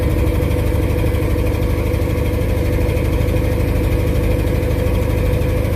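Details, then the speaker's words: 1986 squarebody with 496 big-block V8 at first start after installing Accel Extreme 9000 ceramic plug wires, after sitting: steady, smooth low idle rumble with no misses, ticks, popping or knocks; good oil pressure, high vacuum, air-fuel around 13. "Ooh, it sounds smooth. See if we can let it idle down now, maybe."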